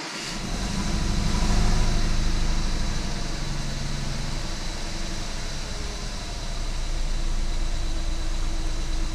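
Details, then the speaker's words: 2014 BMW 320i turbo (F30), first start after engine rebuild: idle lopes unevenly at about three pulses a second. Codes show cylinder 1 injector open circuit and cylinder 1 misfire; coil or injector suspected. "Tem alguma falha aí. Agora a gente vai fazer o seguinte, falhas. Cilindro do injetor 1, circuito de vazão aberto. Uhum. Erro de ignição do cilindro 1."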